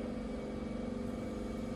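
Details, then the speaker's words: Car fuel pump running with its relay bypassed by jumping relay pins 30 and 87, ignition off: steady low electric hum at constant pitch with no surging or grinding; normal fuel pump operation. "and I hear the fuel pump is running right now"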